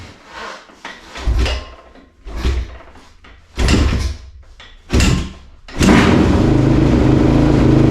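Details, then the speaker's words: 2004 TRX450R, cold engine on choke with a little throttle, just after a Tusk tether kill-switch install: four or five kicks, then it catches and settles to a steady fast idle, a normal cold start. "Bike's cold. We'll see if she can start. Might take a couple kicks. She's still choked. Give her a little gas."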